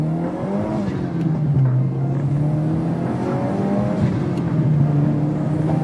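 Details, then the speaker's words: Subaru WRX turbo after bracing install and misfire fixed (O2 sensor spacer), pull from 4500 rpm: strong smooth pull, engine note climbing evenly under load, no stumbles, pops or breakups; normal acceleration. "man. Holy crap. This car is pulling more than Wow. This car is pulling more than how All Wow. This car is pulling how it's supposed to"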